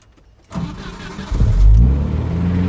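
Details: 1988 Jeep Comanche 2.5L Renix I4, start with no foot on throttle after idle speed motor/TPS work: short crank, catches right away and settles into steady idle; clean normal start, though idle afterward runs high.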